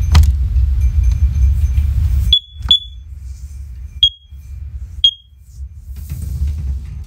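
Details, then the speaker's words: First Alert OneLink hardwired smoke alarms: pressing test on one unit sets off the linked units, whose sharp high chirps start out of step over a low rumble; very loud, interconnect working as designed. "yeah now as you can tell that was very very painful like well i mean not really painful for me because i had my uh i had my hearing protection on thankfully"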